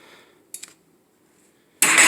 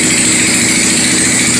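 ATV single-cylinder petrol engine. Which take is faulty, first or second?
second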